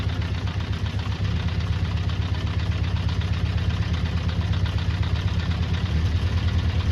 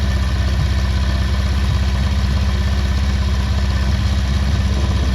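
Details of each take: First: Honda CB400 Four, restored, before carburettor balancing: low lumpy uneven idle below 1,000 RPM, sounding like a tractor; specified idle is 1,200 RPM. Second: Restored Honda CB400 Four, about 103 miles since restoration, while balancing the carburettors with vacuum gauges: even, steady four-cylinder idle with a smooth low burble and no misses or hunting. Normal idle.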